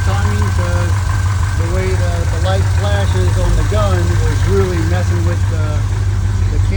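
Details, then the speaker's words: Chevrolet C10 small block with Holley Sniper EFI, previously misfiring and backfiring, after the distributor timing was set: deep, steady idle with an even, unbroken rumble and no stumble or miss. "And if I'm correct, shouldn't see any more stumble. Nailed it."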